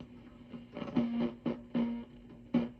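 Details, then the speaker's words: Orange Rocker 30 tube guitar amp on the dirty channel: each tap on the chassis triggers a ringing squeal near 230 Hz that dies away, a microphonic power tube, suspected EL84. "like a microphonic power tube. There's a distinct sound as I tap the chassis."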